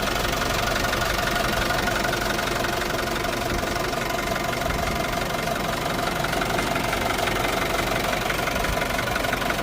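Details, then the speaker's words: Isuzu D-Max 2.5 TD diesel, 2021 model, 48,000 km: even diesel clatter at steady idle, about three beats a second, no misses or hunting; healthy idling engine. "So engine side total గా మొత్తం గమనించవచ్చు ఎక్కడ మనకి ఎటువంటి ఇబ్బంది ఏమి లేదండి బండి అది మాత్రం చాలా బాగుంది అంతా కూడాను"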